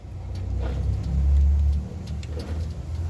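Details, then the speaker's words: Ford Cargo 816 truck, drained differential turned by hand with the phone near the diff: a deep, droning roar that swells and fades with speed. The differential roars when the truck is released in fifth or fourth gear. "então na quinta ou na quarta quando soltava o carro ficava o final diferencial roncando fazendo bastante"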